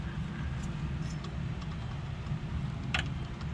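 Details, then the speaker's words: Worn tensioner pulley bearing on a 1994 Jeep Grand Cherokee 5.2L Magnum (about 136k miles), spun by hand with the belt off, gives a low gritty rumble with light ticks where it should be quiet; the alternator is also slightly squeaky. "It's time for a new bearing on this tensioner. Hear that? Should be pretty quiet. That one's not."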